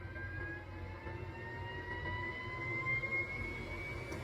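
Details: Carrier/Bryant gas furnace with an intermittently failing inducer (draft) motor, which runs a while then quits: quiet steady whir with a couple of constant high tones and no grinding or rattle, inducer fan spinning smoothly.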